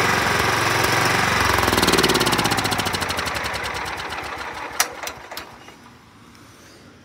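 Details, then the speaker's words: 2004 John Deere L110 mower with Kohler Command 17.5 hp engine, about 565 hours, possibly idle since 2020–2021: chugs unevenly, surging and sputtering. Owner suspects carburetor jet blockage and plans a carb clean. "you could hear the surging I'm going to go ahead and take the carb off and clean it up a little bit of sputtering and surging"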